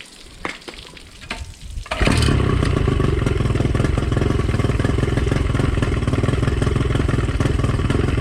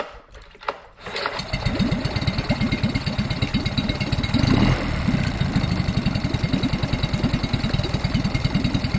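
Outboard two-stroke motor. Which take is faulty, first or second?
first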